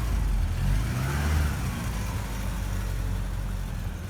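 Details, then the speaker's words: 1983 Porsche 944 with freshly rebuilt engine, first running on a cool day, headers still burning off contaminants with some smoke: deep steady engine note pulling smoothly, no knocks or ticks; normal running. "Still burning off some of the contaminants off the headers. Sounds good though. It's a little cool out here, so we got some smoke, but the car sounds great."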